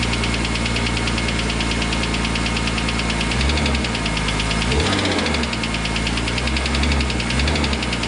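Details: BMW M3 E46 S54 engine running, knock began a few days after a racing event: loud engine with a low rapid knock under the exhaust drone; engine knocking, cause unknown.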